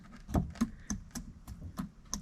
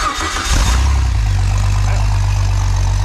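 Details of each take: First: Jeep 4.0 inline-six from a ZJ Grand Cherokee, engine apart in a quiet room, piston rocked up and down by hand: sharp light clacks about three a second, showing slack; owner suspects a wrist pin issue, not confirmed. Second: Freshly built Jeep 4.0 inline-six from a ZJ Grand Cherokee, converted to a 00-01 XJ coil-pack engine, on an engine stand, restarted after a muffler was fitted: catches into a deep, steady, even idle with no knocks or misses; healthy.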